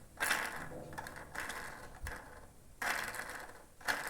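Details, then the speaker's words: Honda Fan 160 2020 engine opened, cam chain sprocket and rocker removed, camshaft turned by hand: dry ratchety clicking from excessive up-and-down play; worn camshaft bearing causing the engine noise. "rolamento a gás barulho no rolamento rolamento do comando com barulho aí provoca todo os barulhos no cabe"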